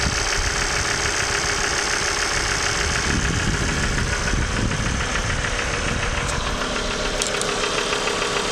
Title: bruit moteur claquement ! pompe à huile hs ! engine oil pump noise out of order !